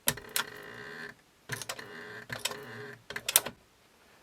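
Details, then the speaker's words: 1998 Sony TC-WE305 dual cassette deck: short buzzy, rattling, creaky whirr bursts as the cassette door moves, felt as vibration; noisy door, suspected damper part that slows the door. "'s more a farty door, really, isn't it? Creaky door. Sounds more like a sailing boat."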